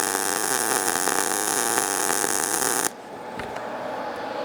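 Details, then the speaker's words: ESAB Rebel 205 short-circuit MIG baseline at 18 V, 200 in/min wire feed, about 90 A; steady even sizzling crackle for about three seconds before the arc stops, smooth stable normal arc. "Okay, so I want to run a little bit of a bead so we can see it, hear it, taste it, smell it."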